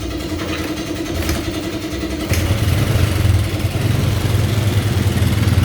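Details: Honda Karisma motorcycle, idle screw at about three to four turns: idle wanders and won't settle, then surges to a louder, uneven rumble. The carburetor is normal; the leaking tap keeps it from idling.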